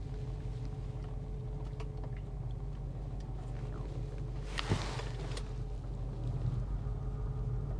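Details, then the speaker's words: Camaro SS V8 at idle, service engine soon light on: deep uneven lope with occasional dropped beats; definite misfire. "yeah she is misfiring definitely got a misfire"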